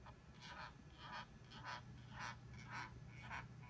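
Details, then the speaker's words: Dyson AM06 bladeless fan: a creaky, cranking squeak about twice a second over a low hum that continues nonstop while oscillating. It comes and goes intermittently; the cause is unconfirmed. "so it makes a kind of a cranking squeaking noise as it oscillates and when it's happening this happens nonstop for as long as it oscillates"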